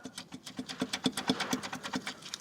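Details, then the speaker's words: Audi S3 engine stripped, bottom end exposed: sharp metal clicks about seven a second as piston two con rod is rocked by hand, three to four mm play; rod bearing gone, timing chain already ruled out. "is if you can see it as well look if I push it there's about three or four mil movement so yeah Batman's gone"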